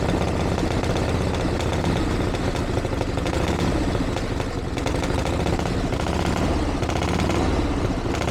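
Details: 1982 Harley-Davidson Ironhead Sportster after two years of tinkering, started on choke with timing reset; loud, even, fast-firing open-exhaust rumble, no misses, knocks or rattles. Idling healthily, though owner feels it's slightly lean under acceleration and needs further tuning.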